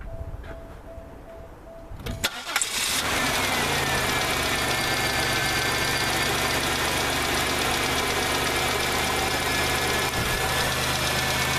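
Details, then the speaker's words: 1998 Oldsmobile Regency after replacing a bad coil (cylinders 1 and 4 weak spark) to cure P0300 misfire: starts and settles into a steady, even idle with faint light lifter ticking; misfire and check engine light gone. "bit of lifter noise but it's running [Music] good and the checked engine light went off no check engine light"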